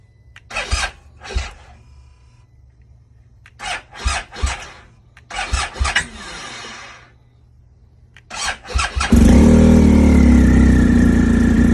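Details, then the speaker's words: 2020 BMW R1250 GSA, cold start after sitting 2 days at about 30 degrees, battery tender not connected: several weak cranking bursts with pauses before it catches and idles; hard start, battery suspected but not the cause, unresolved. "bike has been off for 2 days. It's about 30 degrees right now. It's not even turning."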